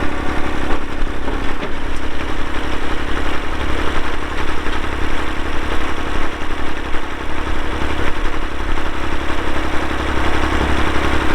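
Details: 1990 Massey Ferguson 231 tractor, 2WD, MF232 loader, Perkins diesel, 2,898 hours, started on a cold day. Steady, even low diesel rumble at idle, settling smoothly with no knocks or misses. Normal diesel idle.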